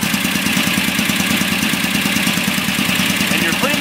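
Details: Warm performance VW engine with Kadron Solex H40/44EIS carburetors, during idle mixture screw adjustment. Steady, fairly even pulse of about three beats a second with a busy fan-like hiss; sounds healthy.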